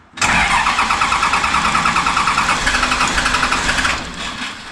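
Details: Diesel engine in an off-road rollback build, first start after a suspected fuel-system air bubble (fuel drain showed pressure, pump now pumping fuel): fires quickly and runs with steady clatter, no stumbling or dying; normal start and run.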